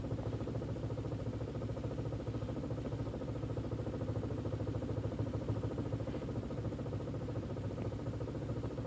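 Quiet idle with an unsteady, shaky beat, about three pulses a second that don't stay even: a rough idle, cause not yet pinned down. Cause suspected, not confirmed.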